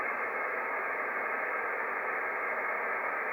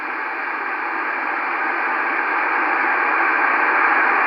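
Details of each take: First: Icom IC-7300 transceiver with the antenna fully disconnected and RF gain at max: steady, even hiss cut off sharply above the audio band, the set's own internal receiver noise, unaffected by turning RF gain down or the attenuator. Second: FT-902DM receiver with the antenna disconnected, volume at maximum, RF gain raised from zero: a steady hiss in the upper mids rising gently in level. Normal audio amplifier and receiver RF noise.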